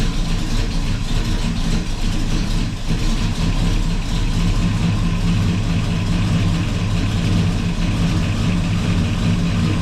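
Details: 1984 Chevy truck with 454 Gen 6 7.4L big-block swap, first run after fixing a fuel line leak, radiator cap off: deep steady idle, even low rumble, no knocks or misses; normal idle.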